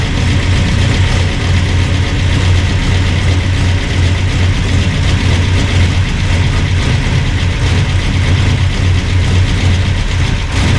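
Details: Burned-up rat rod "Doje'llac" V8 with freshly done carburetors, first run after the fire, oil burning off headers; deep steady rumble, even beat, no knocks or misses; normal running.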